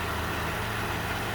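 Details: 2017 Jeep Wrangler 3.6L V6 at low idle, engine shaking slightly with a faint uneven beat; cylinder 2 misfire from low compression, persisting after injector, coil and all six spark plugs were replaced.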